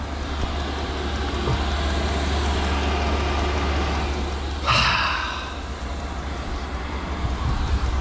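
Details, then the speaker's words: Cheap Chinese diesel heater (under £80) in a Ford Transit Mk8 van conversion, first run after priming: steady even low drone from burner and fan, lit and running normally; kicking out heat and some smoke, said normal when new. "i don't know if you can hear that but it's kicking out some heat it's also kicking out some smoke but apparently they do kick out a bit of smoke when you first get them"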